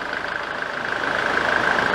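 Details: 1993 Nissan Terrano diesel, in for hard starting: settles into a steady idle with even, regular firing and no misses or stumbling; engine running healthy.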